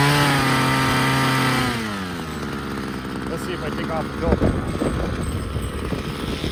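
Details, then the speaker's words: Ryobi CS26 two-stroke string trimmer, starts easily but bogs at idle and on throttle: steady buzz sags sharply when throttled, then sputters and stumbles toward a stall; cause not yet found, dirty air filter not thought to be it. "so i put on the gas it wants to bog down"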